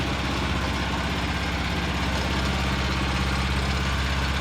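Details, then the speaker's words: Revived Vanguard 9HP tractor engine after draining old gas, carburetor work and freeing a stuck throttle lever, oil topped off: steady single-cylinder idle, about 200 beats per minute, no miss or knock, no fuel leaking, much quieter; some vibration noted. Normal idle. "so I pretty good not weing any gas much quieter"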